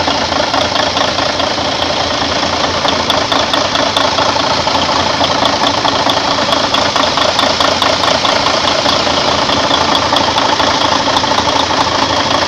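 Steady, even diesel idle with a crisp, regular injector clatter and no knocks or misses; a healthy-running truck engine.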